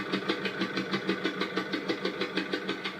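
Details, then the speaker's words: 1.6 HDi diesel in a Citroën C4 Picasso idling with a sharp, regular chuff-tick about three times a second: compression leaking past the first or fourth injector seat, full of residue; fix needs no injector rebuild. "There you can clearly hear that there's an injector misfiring. In this case, uh well, starting from the right would be the first or fourth injector."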